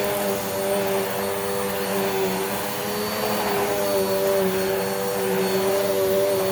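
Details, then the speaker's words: Dirt Devil vacuum after replacing stretched belt: steady even motor roar with constant whirring, no slapping or squeal; brush roll spinning at proper RPM, performance restored. "now you can hear hear the agitation properly because the brush roll is spinning at its proper RPM"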